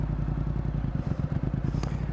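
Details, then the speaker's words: Motorcycle idling with the brake held while the clutch is eased to its engagement point: low pulsing idle loads down and sags a little as the clutch bites. Normal engagement point, nothing wrong. "어 이게 디지털 터라서 잘 볼 수가 없는데 소리로 들으면은 약간 일정하다 RPM이 떨어지려고 해요 그죠"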